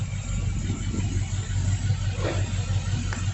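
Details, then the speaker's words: C10 truck swapped to a 5.3 LS with 4L60E, stock cam: low, even idle rumble with a soft regular pulse and no ticks or knocks, running healthy. "I mean there's no cam in there so I was expecting it to sound like what it sounded like"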